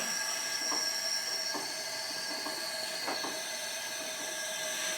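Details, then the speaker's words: Twin-cylinder engine leak-down test, both cylinders about 200 psi on compression: steady airy hiss with faint irregular puffs as the cylinder is pressurised, air escaping past the intake valve, which should seal. "there you can hear the exhaust valve wide open [Applause] and there it's coming that's coming through my intake"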